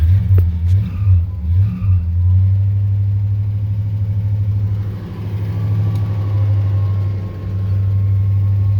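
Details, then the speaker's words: 1972 Chevrolet Monte Carlo Custom, 102k actual miles, 12-bolt rear, engine cold with choke not working properly; a few throttle blips swell the deep V8 rumble, then it settles to a steady even cold idle, no misses, no smoke. "Of course, no smoke. So anyway, choke's not working exactly."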